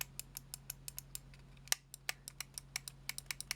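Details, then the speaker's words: Razer DeathAdder Elite mouse bought off eBay, partly disassembled, with one button stuck down: sharp, dry clicks about four or five a second that sound stiff and heavy to actuate. Stiff mouse button click. "that sounds a bit stiff as well."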